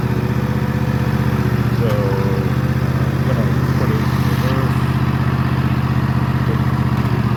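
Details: Husqvarna TS148XK lawn tractor, bought June 2024, fuel treated with additive, throttle set just below fast: constant smooth single-cylinder drone at full throttle, even beat, no rattles or surges; healthy engine.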